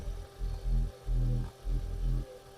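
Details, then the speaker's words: 2005 Audi A4 B7 1.8 turbo petrol, automatic, 225,000 km, cold start: low even idle swelling and easing in short surges, no miss or stumble; no smoke, no misfire, no breather blow-by, runs quiet and even. Normal cold-start idle. "Не димить, не троїть, не сапунить."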